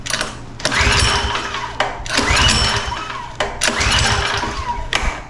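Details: Power washer with a 4-stroke lawnmower-style engine, fuel petcock turned on, full choke: three recoil pulls, each a second of cranking whirr with no firing; it won't start because fuel is not getting through the carburetor.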